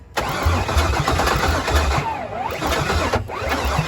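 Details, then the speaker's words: Pontiac G8 build cranking with a steady, rapid starter churn and no firing. The fuel pump may not have been switched on (no pump hum heard). "i didn't hear the fuel pump come on no turn the fuel pump on and hold that button all right i'm gonna go read my chart we got no rpms so we're done we're dead in the water crank sensor"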